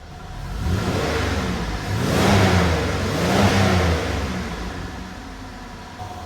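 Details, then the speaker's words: 2005 Buick LeSabre 3800, previously misfiring and running rich once warm, with erratic mass airflow sensor unplugged: two smooth blips rising and falling cleanly without stumble or popping; revving freely. "it's not run this good in a while. Can't believe I caught that mass airflow just going crazy like that."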